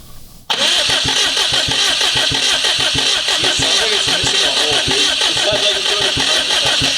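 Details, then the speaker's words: Subaru WRX after a botched head gasket job where a component was forced in on reassembly: engine settles into an uneven, stumbling idle with a skipping beat like one dead cylinder, yet no misfire fault code set. "it sounds like it's missing a hole. Yeah. If it's got a dead hole, how come it didn't trip a misfire fault?"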